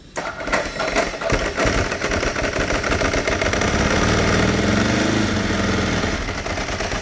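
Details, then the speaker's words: Ducati 999 cold-started at about 20-something °F: loud, fast, uneven clatter about three beats a second over the V-twin idle, the normal dry clutch rattle, nothing wrong. "And I'll start this up and let you hear it rattle. Hear the old famous Ducati clutch rattle."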